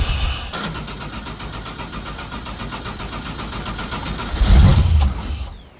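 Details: Abandoned LS1-engined speedway car, first start after long storage: catches on starting fluid in a quick uneven beat about four per second, surges once, then dies. Fuel starvation; it won't run until fuel pumps are fitted.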